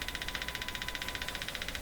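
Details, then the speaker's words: Arvin 444A four-tube steel-case radio on the bench with a 455 signal-generator signal injected; fast machine-gun buzzing at about thirteen pulses a second over a faint steady tone, more like a helicopter; outside interference suspected, not confirmed. "all right there it is it's more like a helicopter on this radio"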